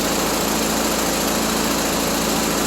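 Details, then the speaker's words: 1974 Triumph Spitfire with rebuilt Zenith Stromberg CD150 carburetor, warming toward thermostat opening (about 140–150°): steady, even idle with smooth exhaust note, no ticking or knock; runs cleanly, though water neck is leaking and needs new gasket. "It's running. What a plus that is. Heck yeah. And it sounds great."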